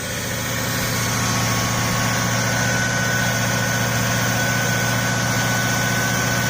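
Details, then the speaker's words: Cadillac Eldorado 507ci V8 on first start after a year in storage: a constant high whine over a steady idle, holding its pitch, from a power steering pump with completely empty fluid; later refilled. "I went ahead and um added some power steering fluid because it was completely empty and that was like the whining noise that you heard before"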